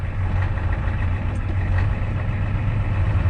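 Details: 1988 7.3 L indirect-injection diesel truck, 176k miles, started after waiting for the glow plugs at 50 degrees: deep, even clatter settling into a steady low idle with no misses or knocks; healthy engine right after a cold start.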